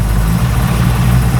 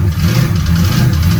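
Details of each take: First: HQ Holden ute with a 350 Chevy V8: smooth idle around 800 rpm with an even lumpy burble and no misses, rattles or ticks; initial timing set to 10 degrees with the vacuum advance disconnected and plugged; normal idle. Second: 350 Chevy V8 newly swapped into a Holden HQ ute, on its first start and warming up. Lumpy, uneven idle with surging revs and a loping rumble: the ignition timing still needs adjusting.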